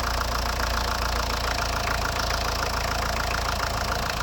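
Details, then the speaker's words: 1990 Ford Escort 1.8D diesel started at idle with steady fast clacking on top of the engine from hydraulic lifters, a known weakness; recorded after thermostat replacement. "mise en route du bolide vous allez entendre des poussoirs hydrauliques claqués c'est leur maladie"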